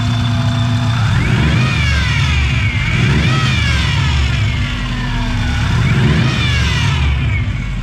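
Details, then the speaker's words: Car with a just-finished engine job, revving: a loud screech rising and falling with each rev. It persisted after about 10 minutes of bleeding; the power steering pump is suspected bad, and a spare pump from the old engine is available. "we think is bad because we've tried bleeding it for about 10 minutes and it just makes this awful awful screeching noise like I've heard screeching before in power steering pumps"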